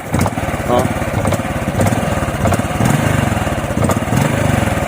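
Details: Honda RS125 Fi single-cylinder revving unevenly with stumbles and popping breaks; it was slow to rev and lacked power despite new throttle body, spark plug and fuel filter, and the misfire came from a faulty spark plug cap.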